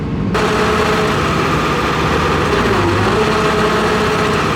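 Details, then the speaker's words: John Deere 245G excavator diesel after emissions delete: steady idle with hard sharp knock on each firing; number 3 injector found smoky, suspected dumping too much fuel, black smoke under load, before injector replacement. "once got it running I realized the engine didn't quite sound right, and did some diagnosing after, and found that number 3 injector is quite smoky. I think it's dumping too much fuel in the cylinder."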